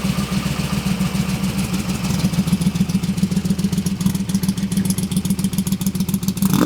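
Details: AC Cobra kit car with an all-aluminum side-oiler 427 FE and twin Holley 600 carburetors: lumpy idle at three or four pulses a second, as if on six cylinders; the carbs flood and load up at idle.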